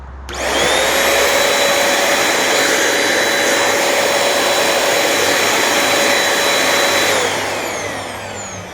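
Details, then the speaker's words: Very old Shark NV22 upright vacuum, brush roll full of hair but spinning, switched to position 1: motor spins up to a steady, clean high whine with rushing air and winds down smoothly; sounds fine, maybe a leak elsewhere. "Put it on position 1 here. And here we go. Well, gee, that sounds fine."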